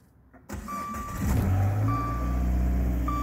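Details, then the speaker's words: 2014 Dodge Dart Aero 1.4 MultiAir turbo, automatic, 31,000 miles, front-end collision not affecting engine: quick clean start settling into a smooth, steady low idle with no knocks or ticks; runs good. "okay tomorrow it does run good yeah"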